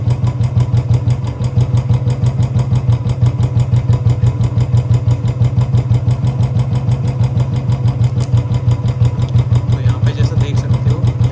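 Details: Royal Enfield Bullet Standard 350 BS4, 2018, with a battery-drain no-start complaint, idling while the charging coupler and rectifier are tested and found fine. Steady thump about three beats per second with no misses or knocks; healthy idle.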